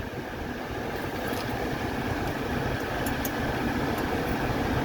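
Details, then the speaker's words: 1985 Mercedes 300SD diesel idling with AC running after compressor, receiver drier and seal replacement and recharge: irregular chatter from the AC compressor over the diesel clatter; new belt not tight enough, needs tightening. "okay guys we're done charging the system and again ignore the chattering you hear on the compressor I just need to tighten up the belt a little bit that's completely normal when the belt's not quite tight enough"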